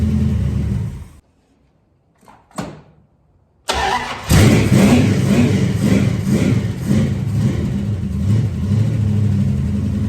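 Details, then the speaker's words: 1973 Dodge Dart Swinger V8, engine and new transmission reinstalled, running on open headers with timing slightly too advanced; cranks, catches after a pause, settles into a loud, choppy lope; normal running, back to a runner. "Just coming off the headers. Let me turn my fans on. Hey, we're back to having a runner."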